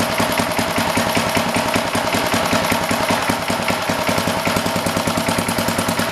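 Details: Old rototiller's Briggs & Stratton single-cylinder engine, with the air filter back on, putters with a steady, even beat, no misses or knocks; healthy, settled idle.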